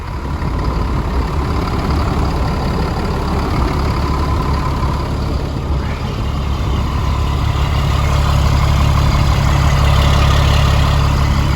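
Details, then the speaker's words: Caterpillar 3126B diesel in a 2000 Holiday Rambler Endeavor, 92,000 miles, after oil pump and bearing replacement for low oil pressure, about 45°F: deep even rumble with no knocks, rattles or ticking; normal idle. "I should make sure that this engine sounds good too. Yeah, it sounds great. There is absolutely nothing to complain about in that sound."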